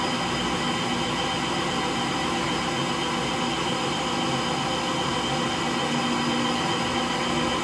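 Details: Frigidaire Gallery front-load washer GLTF1670AS1 in the slower part of final spin: a steady hollow roar with a rough rumbling undertone, from worn motor bearings.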